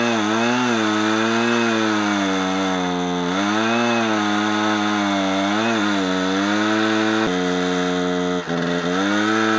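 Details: Husqvarna 455 Rancher chainsaw running Husqvarna 50:1 premix, after a new spark plug and ruling out the air filter: screams at high revs, then pitch sags and wavers cutting wood. It loses power under load; cause suspected, not confirmed.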